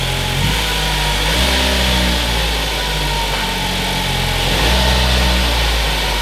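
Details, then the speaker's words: Ford Focus idling after a throttle body cleaning and new transmission actuators: a steady, even, low hum with slight early unevenness that settles. It starts and runs fine, whereas before it would not start. "now that the throttle body is clean and I have new actuators in there sounds great"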